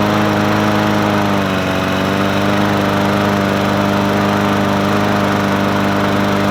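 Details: Murray 20-inch 4.0 HP push mower (20415x8D), a found mower, primed and started on a cold 53°F day: single-cylinder engine holds a steady, even drone with no misses or surging; runs smooth and healthy.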